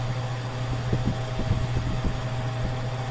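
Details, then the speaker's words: R290 cooler with an Embraco compressor at 56°F not cooling: steady low hum with loose irregular thumps, dropping in and out of pumping, 0.9 to 1.2 amps, 74 to 87 PSI; failing compressor short cycling. "Compressor stopped again. Amp draw is going to 0.9 amps. Now my compressor is pumping again, and it stopped almost immediately."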